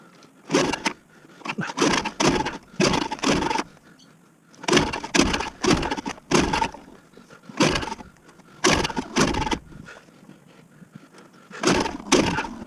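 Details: Victa Super 24 / Super 600 70-series two-stroke mower, carb previously cleaned: repeated short cord pulls every couple of seconds, none catching into a run; won't start, cause unknown.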